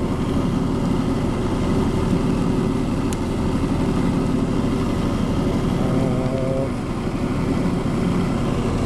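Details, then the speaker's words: Ammco 7000 disc brake lathe that sat for a long time: smooth, quiet motor hum with no rattle or knock at even pitch, so the motor is healthy, though the cross feed is hung up. "Turn it on. The motor's nice and quiet. Doesn't rattle or anything."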